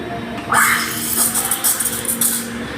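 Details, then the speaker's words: Espresso machine steam wand steaming milk with only the tip in: bright, sputtering steam hiss in short bursts, showing air being drawn in and foam forming; the cue to submerge the pitcher further. "hissing sounds is like this when you hear that that's the hissing sounds it means it's an indicator that you're now creating the phone"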